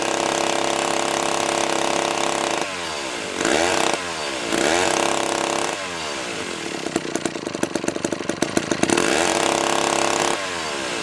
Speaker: that sounds pretty good think I'm gonna have to try and cut along